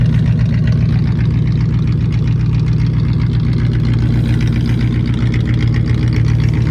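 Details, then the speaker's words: 1959 Cadillac V8 after years sitting, fluids checked: deep, even warm-idle burble holding a steady beat with no misses or knocks after coming down off fast idle; fires right up, smooth and healthy. "Now that it came down off a fast idle, it sounds so much better. But she just fires right up."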